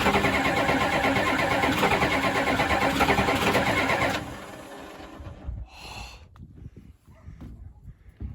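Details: 1992 Ford F-250 7.3 diesel, 4WD, 5-speed, sitting since 2004, supposedly rebuilt engine, on two mismatched batteries, no ether: about four seconds of steady, even cranking, then it stops; engine never fires.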